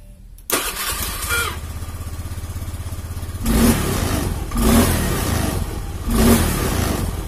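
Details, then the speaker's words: Honda Beat FI single-cylinder, which had hunting idle and stalling on throttle, after the battery was replaced. It catches instantly and settles to a steady, even idle with three clean throttle blips; the repair is done and it runs healthy. "Oke, alhamdulillah sudah jos, sudah selesai."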